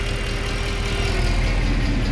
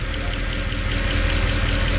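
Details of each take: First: 2014 Mercedes C63 with 91k km on a cold first start after lifter work: a steady whirring hum over a smooth V8 idle; the secondary air pump is running normally and quiets once oil reaches 70–80°C. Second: 2014 Mercedes C63 V8 with 91,000 km, first cold start after maintenance. Quick, even light ticking rides over a deep idle: hydraulic lifters ticking until they fill with oil, which is normal.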